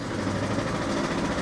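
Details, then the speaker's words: 1984 Opel Ascona 1.6S (90 hp), after the fuel pump was reinstalled: rough, uneven idle with a stumbling, lumpy beat. Owner calls it a misfire, not fuel, and checks the ignition coils/leads. "that's definitely a misfire it's definitely a misfire"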